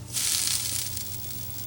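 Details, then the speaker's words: K7000 25-inch arcade monitor chassis at power-up on test pattern generator, sharp high hiss and crackle bursts over low hum like frying bacon, high voltage running high; bad flyback transformer arcing. "yes power right up the high voltage is rather high oh i can hear the flyback making weird noises it's like it's cooking bacon in a fryer or in a pen it's crackling over there"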